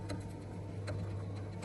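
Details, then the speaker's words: Bosch 6000W gas boiler circulation pump: steady low hum broken by sharp, uneven ticks, knocking from a worn rotor fouled with dirty water; replacing the rotor made the pump run quietly. "разбираться в чём проблема мы получается поменяли ротор на данном насосе всё он сейчас работает тихо без шума всё отлично получается вот заменённый Ротор который у нас постучал"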